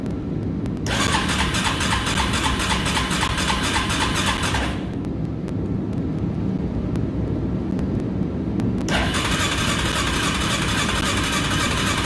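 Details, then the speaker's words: Yamaha Kodiak 450 ATV, fuel on reserve, choke on: starter whirs in two long cranking bursts with throttle worked but engine never catches; owner suspects fuel issue and plans to drain fuel. Cranks but won't start. "nothing nada i'm going to try to use the the throttle here while trying to start see if that does"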